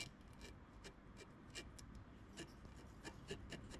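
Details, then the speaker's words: GM 2.2 Ecotec engine teardown after a knock heard on startup: journal rubbed gives irregular dry, gritty rasping; the rod journal is deeply grooved, compared with a smooth neighbouring journal. "Is it is pretty well grooved. This one is really smooth. That one is really grooved."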